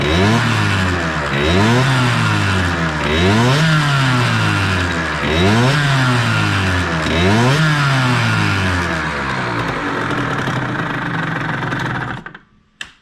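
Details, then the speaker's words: Motorcycle (HM) engine revved up and down about every two seconds with harsh clattery noise underneath; very loud noise from the clutch area inside the engine, not the stand, cause unclear. "Donc voilà, le bruit que vous avez entendu, le gros, c'est là-dedans. Hein. C'est pas le lève moto ou quoi, c'est vraiment dans le moteur."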